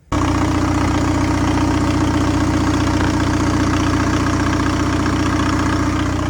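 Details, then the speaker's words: Straight-piped VW Golf TDI diesel after repair work: loud steady diesel clatter, raspy open exhaust, faint rising whistle of the small turbo spooling up; normal running, coolant leak appeared afterwards. "This is a little straight piped diesel, and I'm super excited to drive it. Hear the little turbo spooling up,"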